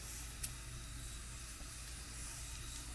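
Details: Afghan Kazan aluminium pressure cooker on a wood fire, lid tightened harder to stop side leaks: soft, steady hiss of steam escaping through the vent with no sputtering or side leaks; venting normally.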